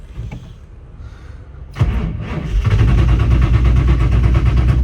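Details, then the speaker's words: Ford GT40 that sat over 20 years with zero miles, just fueled at a gas station. Slow, labored cranking at about four pulses a second never catches because the battery is dead. "oh mother battery's dead that's not right damn it I'm going to call the guys to bring us a jumper box"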